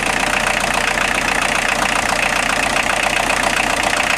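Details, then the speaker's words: Steady, even idle clatter from a 1990 Volkswagen Jetta Mk2 1.6L diesel with no belt squeal or chirp, started after an alternator belt drive repair and modification; the belt drive sounds healthy. "I'm going to start it up now and see if it squeals any if it does I'll tighten the belt up a little bit try it again"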